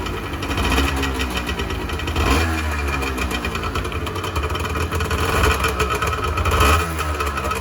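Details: 1986 Honda NS400R 400cc two-stroke triple revved shortly after first start in 11 months; crisp, ringing exhaust picks up cleanly on each throttle blip, no knocking or rattle; healthy engine, oil light on (owner suspects oil level sensor connection).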